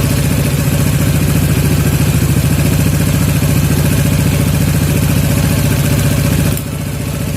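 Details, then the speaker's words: Yamaha Jupiter MX 135 carburetor air screw setting: fast choppy single-cylinder revs held high for seconds before dropping, returning to idle too slowly; air screw adjusted further until revs no longer hang. "Jadi masih telat juga ya turunnya, kita kurangi lagi."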